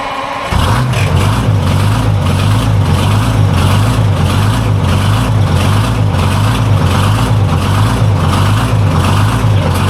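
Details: Vintage two-stroke diesel cabover semi truck, first fire-up after revival work: deep even drone with a steady pulsing beat, holding firm and smooth; running healthy.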